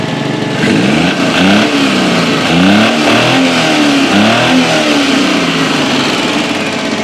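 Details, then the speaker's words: Suzuki Khyber, carburettor, also fitted with gas, after removing a foreign piece from inside the carburettor: engine picks up cleanly under throttle, revs rise and fall smoothly; before, it misfired, wouldn't climb hills and stalled with a jerk on acceleration. "अब गाड़ी बिल्कुल ठीक है।"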